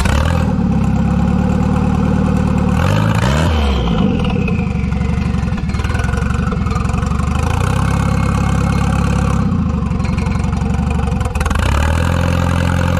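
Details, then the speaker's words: Wagon with GMC Typhoon/Syclone turbocharger, no internal blow-off valve, boost controller turned up: revs rise and fall under boost with pops and crackles on throttle lift-off; normal overrun. "um but yeah so i think it sounds really cool i like all the pops and crackles and the reason so this turbo is factory it doesn't have a internal blow-off valve like the factory mitsubishi's do"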